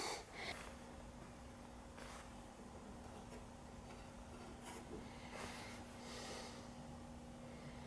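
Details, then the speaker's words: 1952 RCA 1X52 five-tube AM radio (All American Five) on first power-up before repair; steady low hum with faint buzz and a station barely audible behind; dead filter capacitors. "oh yeah I'm mistakable filter cab home"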